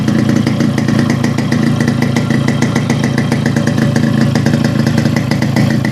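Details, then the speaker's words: Restored Yamaha RX100 two-stroke idling after electrical work, with an altered muffler core giving a well-set beat; it still needs a 3–5 hour run-in. Steady, crisp, even pops with no missing or rattling. Healthy idle. "Beat நல்லா set ஆகிடுச்சு. ஆக்சுவலாக muffler வந்து நம்ம இப்போ alter பண்ணியிருக்கோம்."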